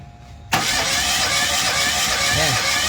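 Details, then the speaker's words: Mitsubishi Mirage cranked for a compression test: steady, hissy, even starter rush with no firing. Compression reads only about 50–60 (needs 100+), so the engine won't start; gas smell noted. "60 bad compression power. Oo. Hindi aandar sir kahit anong gawin natin."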